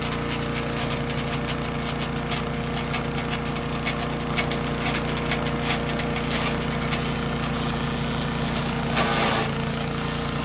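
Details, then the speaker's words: Troy-Bilt chipper shredder model 24A-414B711 test run after new carburetor fuel line fitting, oil change, new tires and oiled recoil, shredding dry sumac branches: engine holds an even, steady beat through crackling wood bursts, no bogging or knocking; normal operation under load. "give up on that heavy branch that the sumachs get pretty hard when they dry out and those beating my hands up pretty good"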